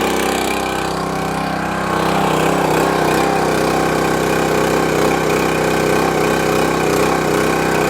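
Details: Champion 27-ton log splitter, unused for a couple of years and would not start; gunked carburetor replaced with a new Huayi carburetor, choke on, fresh gas. Starts with no adjustment and settles into a steady, even single-cylinder putter. Normal running.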